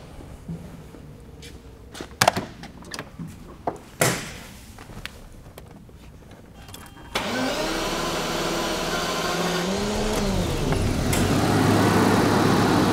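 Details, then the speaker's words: 1982 Jaguar XJS V12, previously non-running with timing 180 degrees out and backfiring, after timing correction: clicks, then engine catches and settles into smooth steady idle with no misses; runs good, oil pressure sending unit still to replace. "who knows it could be anything so we got it running let's start it"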